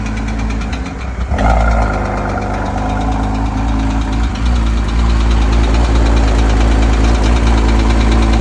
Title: Porsche Cayman S, 2008, Bore Score, Engine Sound, Ticking Sound,